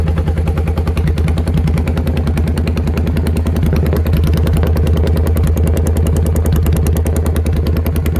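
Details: Motorcycle after velocity stacks and two shims were fitted, running very well after a test ride, with the deceleration pops now gone: deep, steady thumping idle at about two beats per second, even with no popping; normal idle.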